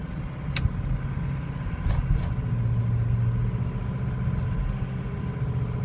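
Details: 2003 Ford Excursion 6.0L Powerstroke diesel, warm, idling with a low, uneven drone that wavers and dips, plus stray clicks. Problem appeared suddenly over two days: rough idle, stumbling or stalling when hot, hard hot restarts, vibration, possibly light surging, and good cold starts. Cause not yet found.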